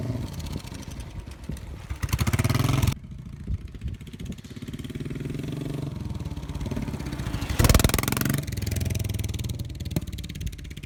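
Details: Royal Enfield Bullet 500 EFI fitted with a Hitchcocks high-level trials exhaust 91100 and a homemade air box reduction panel. Crisp single-cylinder thump picks up cleanly on each blip and settles to a steady idle; loud exhaust. Normal idle and revving.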